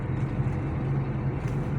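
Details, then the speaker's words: 2007 Chrysler 300C road test after replacing front suspension parts, front and rear shocks and rear bushings, and fixing a cylinder 2 misfire with new plugs and coils. Smooth, even road rumble with no knocks or rattles. Quiet suspension. "والسياره 100% صفيناها بشكل ممتاز الحمد لله ماشيه السياره وما فيها اي مشاكل نحن ماشيين ما في اصوات"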